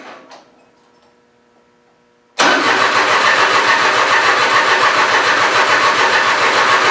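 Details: Mitsubishi Satoh S470D Buck tractor diesel after new transmission/hydraulic screen, fuel lines and fuel filter, started without cracking injection lines: quiet, then it catches at once and settles into an even, steady diesel clatter with no misses; starts and runs cleanly.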